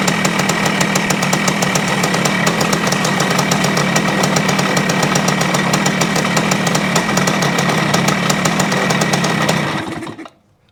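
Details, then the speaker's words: 1973 Yamaha CT-3 175 Enduro two-stroke: buzzy idle pulsing about four per second with skipped beats, then dies; crank up-and-down play opens the points too much; worn crankshaft main bearings, before replacement. "see one of the things that tells me that we have a problem is that when you try to let it idle it won't see the the roughness it is like it misses one once in a while"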